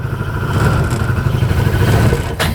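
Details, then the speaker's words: 2013 Arctic Cat Wildcat 1000 UTV a dealership failed to fix, with no power, bogging and stalling at idle: engine idles then sputters and breaks up under light throttle, then shuts off; a squeak suspected to be exhaust. "all right just a little throttle here oh yeah it's breaking up pretty"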